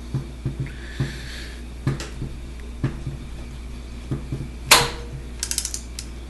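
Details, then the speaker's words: Audi A4 1.8T AEB engine, cylinder head on the bench, cam turned by hand: slow uneven ratcheting clunks about once a second as the cam chain tensioner jumps up and slams down; owner unsure if normal. "see it jump [Music] you'll see the tensioner go up and then it'll slam [Music] down up and then down"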